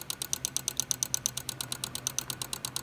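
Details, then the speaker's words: 2004 Mazda RX-8 manual with starter relay problem: plugging in ABS makes the EGI relay click rapidly, about eight a second, with nothing else running; suspected short in ABS system tied to lights and EGI system. "it is clicking the relay here which is actually the egi relay so there's a short somewhere in that ABS system that ties into the lights and the EDI system"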